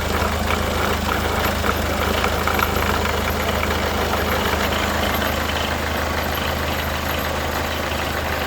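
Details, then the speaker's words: Peugeot Partner 1.6 HDi diesel idling after injector seal replacement: steady, even idle with smooth low hum, no ticking or knocking; injector leak noise gone. "Donc c'est bon, j'ai terminé l'intervention. Donc il me reste qu'à démarrer. Je vais démarrer. Donc c'est bon, le bruit est parti."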